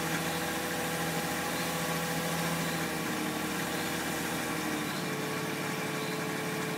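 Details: BMW E46 320i automatic with M54B22 engine, warm at 20°C or more outside: a busy, bright metallic rattle over the hum from the front right, its pitch shifting with revs, under load when accelerating or uphill. Its source is undetermined; the oil pump is doubted and the wheel bearing is ruled out.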